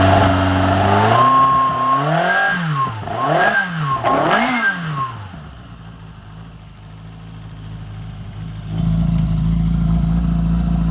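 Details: Engine on the dyno, with a 1040 steel crank, checked for flooding from oversized pump jets: three quick blips rise cleanly and fall back to a settled idle, picking up crisply with no bogging. Normal revving.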